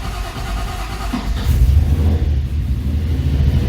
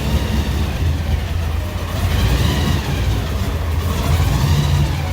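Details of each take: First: 1955 Chevy project car engine starts quickly after short crank once oil pressure builds, battery around 12 volts, then settles to a steady, even idle with no misses or knocks; healthy start and idle. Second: 1955 Chevy project car engine on first start with new ECU tune, in neutral: idle rises and falls in slow waves every couple of seconds; idle air control hunting, trying to reach 750 rpm target without enough response; idle surging.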